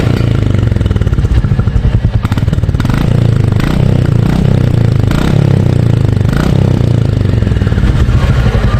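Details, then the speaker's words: New-generation 2023 Royal Enfield Bullet 350 Military Black, stock exhaust, after a service visit for an engine-noise complaint: deep, even single-cylinder thump at steady revs with no clatter or misses; the stock exhaust sounds healthy. "और यहां पर आप इसकी sound सुनिए आपको लगता है क्या कि इसको न्यू एग्जॉस्ट की जरूरत है"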